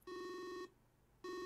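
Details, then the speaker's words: Speakers under the monitor pick up high-power nRF24L01 Arduino radio module transmissions when the antenna is held near, receiver unplugged: steady buzzy tone in about half-second on-off bursts; radio interference buzz. "Now you can hear it, I'm sure. What that is my ever speakers under the monitor here. And when I hold the antenna there, you can hear the speakers receiving that radio signal."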